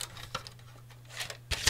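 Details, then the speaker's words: 3.5" floppy drive module (Horizon 78) from a small OEM computer with a 9" screen: sharp clacks and gritty rasp over a low motor hum as a disk loads and ejects; grunchy. Owner suspects maybe an old spring. "let's find a disc any old disc and just see what it sounds like yeah it's a bit grunchy they do come out probably just need"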